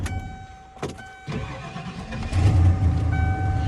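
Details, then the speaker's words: 1996 Ford truck with 300,000 miles, after starter work: short crank, then catches quickly and settles into a steady idle; starts like a top, starter no longer an issue. "Fires up like a top now. Starter's not an issue anymore."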